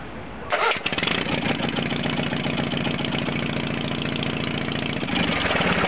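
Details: 1970s Case 446 garden tractor, after no-crank/no-start electrical repair with rewiring at the neutral safety switch (new switch still awaited): short crank, catches at once and settles into a steady, even idle with no stumbling; starts and idles cleanly.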